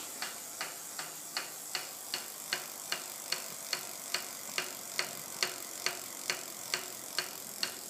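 Sharp, light ticks repeat about twice a second with only faint hiss behind them; a mechanical tick on a bicycle, cause not identified.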